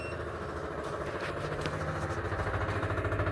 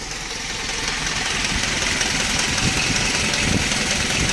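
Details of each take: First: Universal aftermarket inline electric fuel pump on a Gen 1 Mitsubishi Montero/Dodge Raider (2.6L 4G54, Weber carburetor conversion), mounted at the tank at the rear, key on: harsh steady buzz with a pulsing hum; it works but is very noisy. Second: Dodge Raider 2.6L 4G54 with Weber 32/36 carburetor and new electric fuel pump, warm after a drive: quick even idle beat under a slight hiss, swelling briefly then settling; healthy steady idle.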